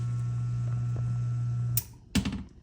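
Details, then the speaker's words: Newly installed replacement sump pump, switched on by lifting the float by hand: low, steady, quiet hum for under two seconds, then a clunk as it shuts off; much quieter than the rusted old pump. "So this is how quiet that pump is. Nice and quiet."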